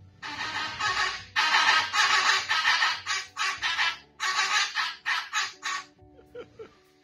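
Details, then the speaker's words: Land Rover with a failed electric parking brake actuator making loud, unusual rasping squawks in uneven bursts. "the parking brake actuator failed on this land rover and now it makes quite unusual sound"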